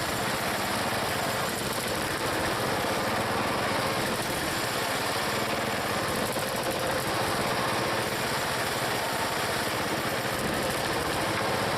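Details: Small single-cylinder log splitter engine on a cold day, Seafoam added, splitting firewood: steady, even drone at constant speed with no misses or knocks. It runs good and healthy.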